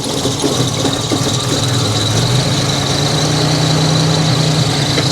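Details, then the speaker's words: 1987 Buick Grand National, fuel mixture set to richest setting (10% richer): uneven, stumbling idle with a thin high squeal over it; running poorly, richer mixture didn't help, cause not yet found. "Nah, it just doesn't seem to like this."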